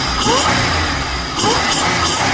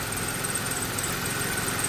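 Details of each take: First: 2004 Chevrolet Impala SS, 3800 supercharged, after a cheap fix: two quick throttle blips rising cleanly with supercharger whine and settling back to idle; the engine revs freely and healthy. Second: 2004 Chevrolet Impala SS, supercharged, warm idle with oil caked on the headers: a steady low drone with a faint high whine; running extremely rich because of a cut oxygen sensor wire.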